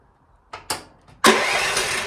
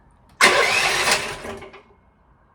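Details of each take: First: Chinese EG360 skid steer (about 160 hours) with a starter issue that sometimes only clicks: a couple of short clicks and a brief crank, then the engine catches cleanly and settles into a steady, even run; normal start. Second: Chinese EG360 skid steer with about 160 hours: after one brief start-up burst, two sharp single clicks about half a second apart with no cranking; starter clicks without turning over, cause still undiagnosed.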